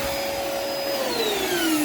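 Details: Lumberjack 1200 extractor with 1200 motor running: steady, loud whoosh with a clear high whine slowly dropping in pitch as load settles; smooth, normal running, virtually no dust left.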